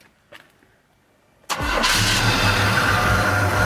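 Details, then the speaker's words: 1986 Chevy C10 V8, first start after sitting 7 years with a new Edelbrock AVS2 carb and intake: quiet, then the starter catches and it fires straight into a strong, steady idle; a clean, healthy start that already sounds different. "First start. It didn't take long, did it, my boy? Nah, it didn't take long. Oh my goodness. It already sounds different."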